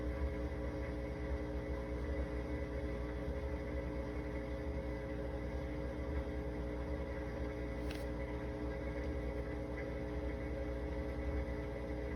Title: ge dishwasher humming noise